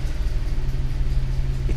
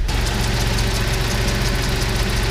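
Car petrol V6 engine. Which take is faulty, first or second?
first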